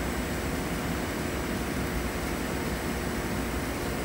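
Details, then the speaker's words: Trane XC95m TUHM modulating furnace at high fire during gas valve setup, with the panel off so the air noise is loud. Steady rush of air with no pulsing, rattle or scrape: normal high-fire airflow noise. "furnace is going to get loud without the door on it. So, that air noise is going to be pretty pretty annoying."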